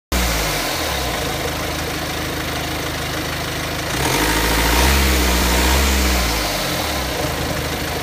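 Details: BMW X3 F25 engine at idle with a light fast rattle that rises with a brief throttle blip; timing chain noise, worn or slack chain suspected.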